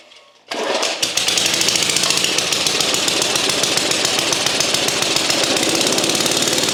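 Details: Vintage Craftsman Eager 1 mower with no governor, apparently once under water, after valve clearance work and reassembly, on choke: sharp, rapid, fairly even single-cylinder firing settling into a steady run.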